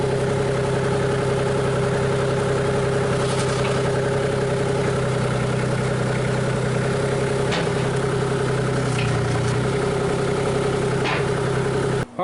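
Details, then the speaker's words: Komatsu PC40 excavator with swapped-in Cummins diesel, warmed up: steady clattery idle with a constant drone and no knocking, surging or hunting, 58 psi oil pressure at idle; healthy engine. "It's warmed up right now. We'll start it up and see what kind of oil pressure it's got. And now it's not idling real low, but I mean, it's still at idle."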